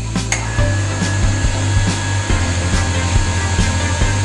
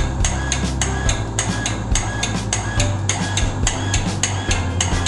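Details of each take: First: Household water pump after refilling its air pressure tank with a bicycle pump to cure rapid on-off short-cycling; motor holds a steady low hum without cutting in and out, smooth and even; normal running. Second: Household water pump short cycling: motor hum cuts in and out with clicks faster than once a second whenever a tap is opened; owner suspects the pressure tank has lost its air charge and plans to refill it with a bicycle pump.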